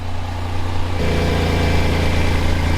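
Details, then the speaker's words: 1998 Audi A4 B5 2.4L V6, bought as non-runner: deep heavy idle rumble stepping up rougher, loudness seemingly from underneath rather than the exhaust; cause not yet traced. Loud abnormal idle noise. "so it sounds kind of loud not going to lie and it that loudness doesn't come from the exhaust I mean there's something coming out from the exhaust some exhaust fumes but uh it's not many sounds like it's coming from under here somewhere"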